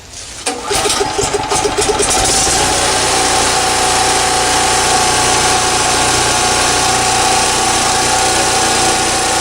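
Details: Champion 3650/4500 generator, two years old, about a thousand hours on original spark plug, fresh oil change, choke set: pull start, a couple of seconds of uneven catching and misfiring, then a steady, even governed hum; running healthy.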